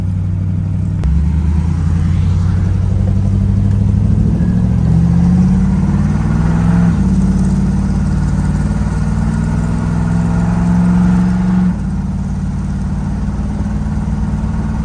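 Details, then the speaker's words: Square-body dually truck with swapped-in V8, good oil pressure, driven around the block; faint rhythmic knock under exhaust as it loads and coasts; rod knock, 100% knocking. "Oh, I'm starting to hear a knock. There we go. We just took her around the block. There's the knock."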